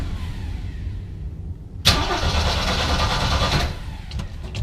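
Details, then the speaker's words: 1973 Jeep CJ-5 big six-cylinder, first start after sitting a while, throttle pumped: repeated cranking and rough coughing before catching into a loud uneven run; hard cold start, owner wonders if low on fuel. "so it's been awhile it's a little crabby maybe it's out of fuel hope not will pump it a bunch Hey look at that just a little cold-blooded"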